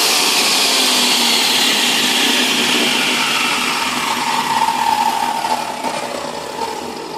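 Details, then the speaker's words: DeWalt table saw universal motor, previously wouldn't start from sawdust/lignin compacted between brushes and brush holders, running after cleaning: loud high screaming whine with heavy brush hiss, steady then easing slightly; running normally. "And for those of you wearing headphones, for those of you who pipe the audio through your sound system, turn it way down because it's about to get very, very loud with this motor."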